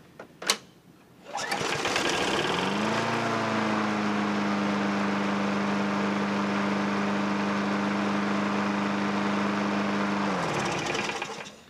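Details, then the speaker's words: Curb-found Craftsman 6.75 mower whose stuck governor and carburetor linkages freed up with use: it starts, climbs to peak rpm, then settles into a steady, even drone with no hunting, running normally. "you can hear it when you first start it you know it gets to its peak rpm and then like it settles down into its operating rings I think it's a good runner"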